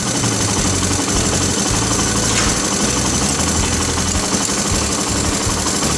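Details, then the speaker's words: Honda ATC/TRX/XR 185/200 single-cylinder idling with cam chain tensioner pushed down: light, busy metallic clatter over uneven low thump, slack cam chain rattling; fixed by pulling up the stuck tensioner and jamming the bolt. "So listen real careful when it's idling. You'll hear that chain go to rattling when I push that tensioner down."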